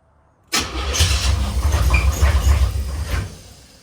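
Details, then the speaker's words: Box Chevy Caprice SBC Vortec 350 (700R4), previously suspected cracked flexplate: cranks in a steady chug of about four beats a second for three seconds, then stops without catching. Cranks but won't start; owner says it doesn't want to turn over anymore, cause unknown. "I don't even want to turn over no more. I don't know, man. I don't know."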